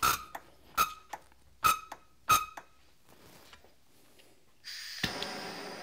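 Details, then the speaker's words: Cummins VCO injector nozzle on a pop tester, sounding different from the SAC nozzle: four sharp high-ringing pops, then quiet hiss; VCO nozzle chattering cleanly, normal. "okay don't play with fire it's dangerous okay this is the VCO that sounds different"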